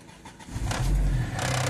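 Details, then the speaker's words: Fiat Scudo 2.0 with a Marelli IAW48P2.34 ECU, previously a no-start from an immobilizer fault, now with the immobilizer disabled in the ECU: the engine fires within half a second, revs cleanly and settles to a smooth, even idle. "Και το αυτοκίνητο παίρνει μπρος και μαρσάρει άψογα."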